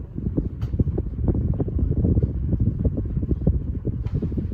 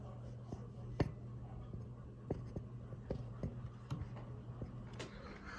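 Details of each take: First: 42-inch Alaska ceiling fan on high speed after tightening the blades: steady low whoosh of air with a soft rhythmic blade thump; nearly wobble-free, with only slight shaking of the pull chain. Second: Alaska ceiling fan (black and polished brass), microphone held close to the fan motor: low steady motor hum with faint, uneven ticks, a slight motor bearing noise.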